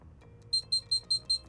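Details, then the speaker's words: Furrion 12V DC compressor RV refrigerator, supply lowered from 13 V to 10 V on a voltage regulator: six quick high-pitched beeps over a faint hum, its low-voltage warning; amperage rises slightly as voltage drops. "now what I'm going to do is I'm going to lower this down to 10 Vols listen for the beeps to show that the refrigerator is telling us I don't have enough"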